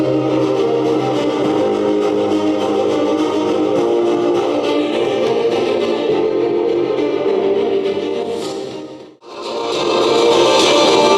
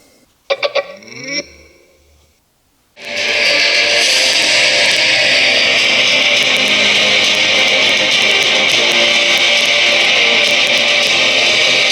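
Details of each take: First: JBL Charge 3 speaker that crackled at loud volume, tested after a new battery was fitted. Music plays clean and full with no crackle; the fault was the battery. Normal playback. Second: JBL Charge 3 speaker opened up, played at high volume: thin bass-less music with harsh crackling on both speakers; owner suspects the battery is not supplying enough current.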